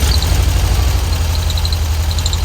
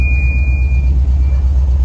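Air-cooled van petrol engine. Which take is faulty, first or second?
first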